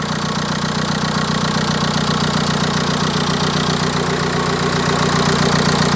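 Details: MK4 VW TDI PD (BEW engine) diesel before camshaft and timing belt replacement, at initial startup: rough idle with an even ticking from the top of the engine, about two or three per second; likely cam/valvetrain wear.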